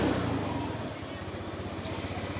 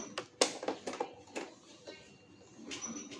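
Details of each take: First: Honda Moove scooter after repair of surging, hesitation and hard starting (fuel pump pressure found dropping fast); now a steady, even idle with a regular firing beat, no stumbling, responding well. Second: Honda Moove scooter that is hard to start after being parked, battery recently charged but weak: key and switch clicks, then a long starter whir with a thin whine that never catches; kick start also fails.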